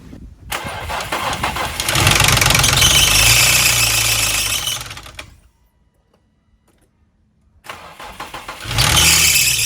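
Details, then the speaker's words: Nissan 350Z VQ35DE, first start after valve stem seal and timing chain replacement: cranks, catches and idles with a thin high squeal; suspected loose accessory belt, not confirmed. Coolant not yet added. "I think you guys heard the squeaking noise probably is the is one of the belts which isn't very tight"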